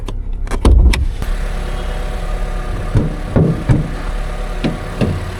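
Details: Used car at auction, idling: a low, even idle with a steady rhythm, no ticking or timing-chain rattle, just a few door thumps; the clutch bite is good, and it is slightly low on coolant with no obvious leak; sounds alright.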